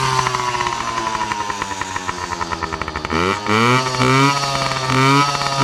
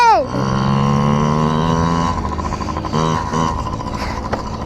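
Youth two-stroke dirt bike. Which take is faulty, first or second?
first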